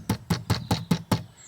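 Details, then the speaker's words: VW California campervan rear door: sharp plastic rattles in quick even bursts about every fifth of a second, loose plastic-on-plastic latches chattering; cloth tape on the latches top and bottom reduces it. "so around at the back here we had quite a noisy rattle from this new door and"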